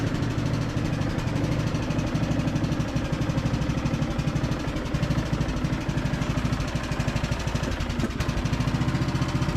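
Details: Briggs and Stratton–powered Craftsman DLT3000 riding mower test-driving and mowing, deck engaged: steady single-cylinder thump with blades turning, even and unstrained; healthy, though deck engagement cable sticks.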